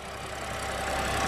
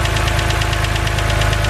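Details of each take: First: BMW 130i N52 engine after the free fix for lifter tick: steady even idle, hydraulic lifter ticking essentially gone, only a light fast injector tick remains; healthy. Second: BMW 130i with N52 engine at idle, bonnet open: steady idle with fast light ticking over the engine note, unchanged through the clip; the known N52 tick, said harmless.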